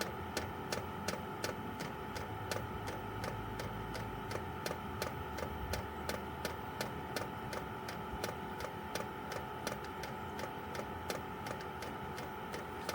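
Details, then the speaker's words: Chinese 12 V diesel heater running on kerosene, outside a caravan, priming via held panel buttons: sharp light ticks about three per second over quiet background; owner thinks it's the fuel pump; normal priming. "There we go, so that's priming. You just hear that noise. The one chap said he had to hold it there for like 12 minutes. Tapping noise, I think, is the pump."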